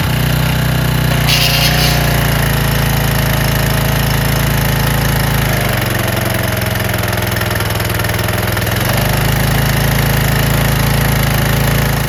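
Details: Craftsman/Troy-Bilt pressure washer small single-cylinder engine after carburetor cleaning, running under load with spray gun attached: even beat, no stumbling or surging; holds speed cleanly.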